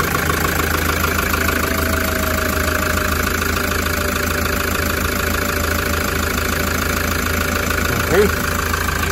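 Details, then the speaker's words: Toyota Grandia diesel after replacing the alternator pulley that caused an intermittent engine noise, in neutral: steady diesel idle clatter with even rhythm, no squeal or chirp from the belt end; noise gone. Normal idle. "Okay guys, so ayan, nawala na 'yung tunog, no? Medyo natyambahan natin."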